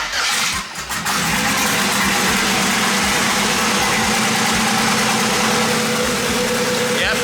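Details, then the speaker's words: LS V8, twin-turbo swapped Mustang, recorded on the stock cam before a BTR stage 4 cam install: steady, even idle with a deep smooth burble and no ticks or knocks; healthy engine. "let's get a sound clip of what the little 5'3 stop cam sounds like just to have a little memory of this little this little"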